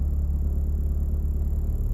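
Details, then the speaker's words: 2008 Honda Civic Hybrid, warm, in reverse: deep steady low buzzing hum droning into the cabin, no knocks; excess vibration from a worn top engine mount with substantial movement, to be replaced. "it has more of that buzzing sound and it's it feels like there's something is off you know what i mean"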